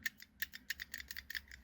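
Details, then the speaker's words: 1998 Chevrolet S10 ZR2 4.3L Vortec with code P0404: new EGR valve plunger pushed by hand, light quick clicks about six a second, no binding, while the old valve is stuck; normal EGR valve movement. "I can push it easily. So the valve goes up and"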